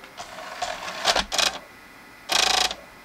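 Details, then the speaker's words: Xbox 360 with Jasper motherboard, Open Tray error: DVD drive laser sled physically jumps with short bursts of rapid ticking and buzzing when a disc is loaded. Owner suspects a mounting screw came off again. "okay well then it doesn't like something as you can see it like barked at me they're physically jumped"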